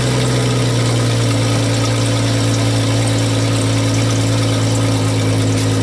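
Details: Jeep with exhaust pipe broken in half, two O2 sensors on the pipe, engine just started cold: loud raspy idle with a deep drone and puffing rasp from the broken exhaust; patched with a soup can and hose clamps.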